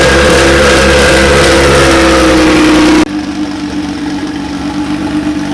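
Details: DeLorean with a swapped Kia twin-turbo V6, first-ever start after new fuel and ECU wiring, ignition and injector power switched on manually: the engine catches and, after a blip, settles into a steady, even idle with a smooth low hum. Normal idle.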